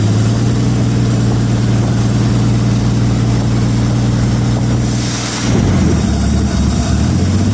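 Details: 1933 Auburn V12 Salon Speedster, in a museum since 1966, on its first start in 58 years. Idle is set high because it would not idle at first. Smooth, even fast-idle hum with oil pressure just over 40 lb and charging at 10 amps; sounds pretty good.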